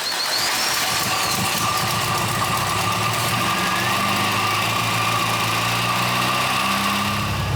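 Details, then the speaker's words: 1970s barn-find MGB with higher-flow air filters, carb mixture screw turned 12 flats richer: loud, uneven engine note with ragged sputtering, stumbling and popping; cause not pinned down, later found spark plugs gapped wrong. "I'm gonna start it up, see if that doesn't help, because it's stumbling, it's popping, it's sputtering."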